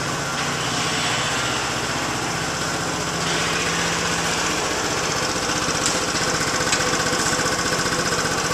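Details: Yamaha Zuma BWs125 scooter just after installing a Leo Vince exhaust with header and O2 sensor reattached: crisp, raspy single-cylinder exhaust note with steady idle pulses, running evenly with no leaks or rattles; normal idle and revving.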